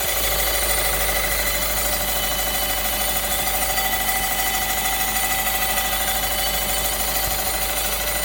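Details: VW Golf 6 1.6 TDI 105 hp diesel idling with a fast, fairly regular metallic ticking about three per second over a hard, tinny hum. Metallic engine noise, source unclear.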